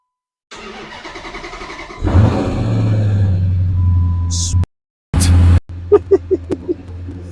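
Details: Flood-damaged 2010 Dodge Challenger SRT8, 6-speed manual, about 56,000-58,000 miles: cranks about 1.5 seconds, catches, settles to steady idle, restarts and takes crisp throttle blips; starts and runs normally.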